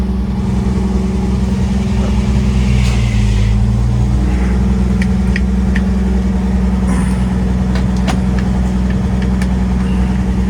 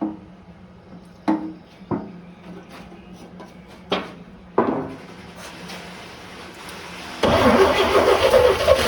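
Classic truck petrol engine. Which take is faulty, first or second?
second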